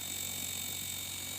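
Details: LG two-door jumbo inverter refrigerator on the bench, sensors substituted with 1K resistors: after start-up, a steady, even compressor hum with a faint high drive whine, no knocks or surges; the inverter compressor runs smoothly and normally.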